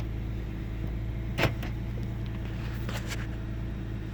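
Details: 1998 Ford Taurus SE OHV V6 idling with the hood open: low steady hum with a brief stumble and quick sputter around 1.5 seconds. Intermittent rough idle with mild rpm fluctuation; earlier swung 400-1000 rpm with no warning lights. Cause unknown.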